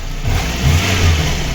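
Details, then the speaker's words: VAZ 2115 petrol engine blips its revs twice and settles smoothly, the ticking gone after replacing the coil, spark plug wires and spark plugs; unclear whether plug, wire or coil caused it. "Все, цокет пропав. Я не знаю, що то цокало, чи свічка, чи провод, чи котушка."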